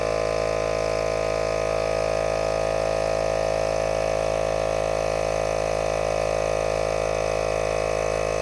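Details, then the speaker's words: ARB portable air compressor in a tyre-inflator comparison, inflating a tyre toward 33. Steady, even motor-and-piston drone at constant pitch with no knocks or rattles; performed well. "now the arb did really well didn't it tyler it flew that"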